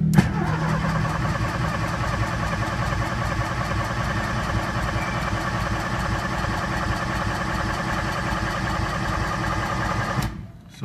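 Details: Engine with Pandoo EFI-4 programmable injection on a basic map, started cold: catches on first crank and settles into a smooth, even idle for ten seconds with no misses or stumbles; normal cold start and idle.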